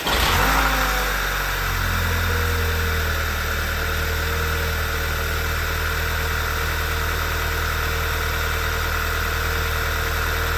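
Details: Short crank catches quickly on an MK6 VW Golf GTI after its starter motor was serviced and refitted, with the MAF reconnected, then an even idle hum with a steady high whine; it starts cleanly.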